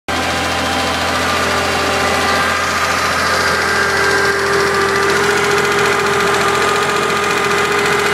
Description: 911 engine noise